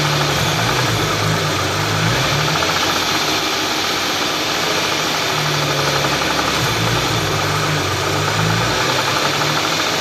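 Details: Hyundai V6 idling with brief blips and a steady mechanical clatter over the engine note; unidentified engine noise, cause not clear.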